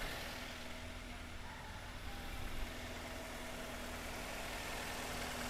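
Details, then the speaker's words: Toyota Avanza/Daihatsu Xenia idling slightly rough and lumpy after an overheat. The cylinder head is warped and the head gasket burned through; coolant is pushed into the overflowing reservoir, and the radiator is empty. "Nah kita hidupkan ya jadi suaranya emang agak agak agak kasar dikit"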